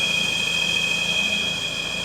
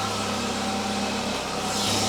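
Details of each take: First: Citroen CX GTi first start after head gasket job and valve clearance adjustment: steady high-pitched whine over a smooth-running engine; it is the alternator (generator), no issue. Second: Citroen CX GTi at idle on first startup after head gasket work and valve clearance adjustment, running cleanly and evenly with a steady hum, no knocks or misses; normal idle.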